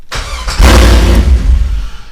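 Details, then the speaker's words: LS1 V8 swapped into a Nissan Patrol, after plugging the relay back in to fix an anti-theft no-start: short crank, then the engine catches at once and settles into a strong, even rumble, starting and running normally. "as you can see, she starts up perfectly fine."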